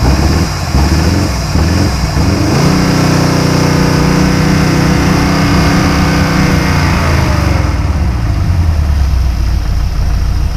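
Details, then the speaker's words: 1953 GMC pickup engine, first run during restoration: catches, revs briefly, then steady low even idle with no knocks or misses; about 50 psi oil pressure at idle, small fuel leak noted. "it desperately needed in order to be functional at idle it is running at about 50 psi on the oil pump"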